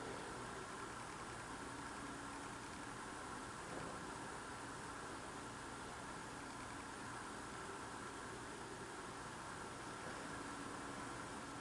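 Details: Loud unidentified idling drone with an even hiss, heard at night through a frozen-shut window on a very cold night. Not a generator; the source is unknown.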